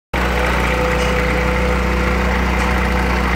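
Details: Renault Clio engine at idle: uneven, stuttering misfire beat with a faint belt-area noise, heard as a failing ignition coil plus a worn timing-belt tensioner. Spark plug wells were full of water; cleaning the plugs and cables didn't fix it, only replacing parts will.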